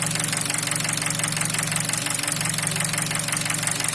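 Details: 2003 Nissan Wingroad QG18DE petrol, automatic, AWD, at hot idle about 700 rpm and 90°C: a steady heavy knock about three times a second; measured oil pressure only 0.15 MPa (1.5 bar), so the bottom end is knocking.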